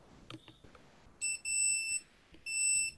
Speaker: I'm gonna pop the multimeter ends into there and what should happen in theory when I press this it should then beep there you go